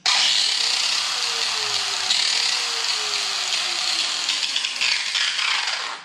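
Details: Makita angle grinder, about eight years of hard use: harsh, gritty, high-pitched roar with a rough, uneven edge throughout; worn, stripped gears grinding.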